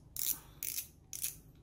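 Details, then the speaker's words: Small Japanese lure fishing reel, 5.3:1 gear ratio, 275 g: short light ticking bursts as the handle turns, no grinding, rattle or wobble; mechanism smooth and healthy. "Nó máy hoạt động đây. Đó. Bao chân chu. Không kêu, không rung lắc, không nghe tiếng động lạ luôn."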